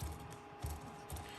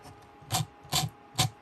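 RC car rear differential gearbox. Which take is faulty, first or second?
second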